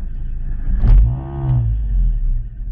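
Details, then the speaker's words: 1997 Ford Escort 1.8 Ghia Cabriolet with a faulty idle control valve: idle should sit near 1100 rpm but hunts up and down; after a throttle blip revs sag and the engine labours near stalling. "I think 1100 is what they should tick at tick over at 1100 RPM roughly about there but as you can see just goes up down"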